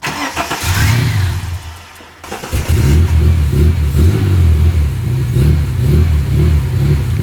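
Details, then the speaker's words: Ford AU Falcon; idle adjustment screw stripped while raising a too-low idle setting; engine sags nearly to a stall and is kept alive only by repeated throttle blips, unable to hold idle. "t's just not going to hold its idle so i'm going to put it up a little bit and hopefully that fixes the problem"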